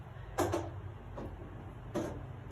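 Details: Missui CCTV recorder with a hard disk making a loud clicking sound: sharp clicks, one or two a second, over a low steady hum.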